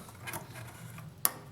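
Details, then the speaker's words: Self-resetting ignition kill switch relay, powered from the battery: one sharp, crisp click as the coil pulls in, indicator light on; normal relay click. "when I put Power to this from the battery that light will light up you'll hear the relay click"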